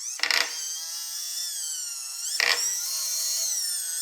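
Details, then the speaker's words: DIY solar tracker rope winch, motor-driven worm gear lifting a weight: steady motor whine with harsh grinding bursts about every two seconds under load; worm gear suspected off center grinding on worm's ungrooved smooth part. "At first, I thought I didn't center the worm gear on the worm. I don't usually make that mistake, but if it's not centered, it'll hit that ungrooved smooth part and grind against it."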